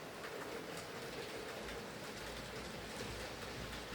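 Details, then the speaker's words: Hornby R2857 Super Detail Black 5 (Class 5MT) model loco after repair of shorting terminals, mangled pickups and drawbar, gears re-greased, running on layout; soft even rolling rush with faint wheel clicks, no stutter or surging; running smoothly. "nice running locomotive in the end though uh it seems to be pretty smooth and stable"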